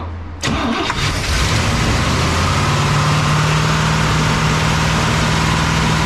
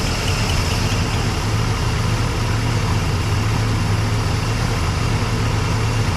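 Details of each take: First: A 1961 Cadillac V8 is just idling again after its carburetor was adjusted. It holds a loping, uneven idle with a faint steady hum, and sounds like it is missing on a cylinder. The cause is suspected but not confirmed. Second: 1961 Cadillac engine, carburetor just dialed in, at slow idle: low, even idle with steady beat, no misses or knocks, slight chirp, tiny bit of smoke; listened with rubber hose, nothing concerning; normal idle.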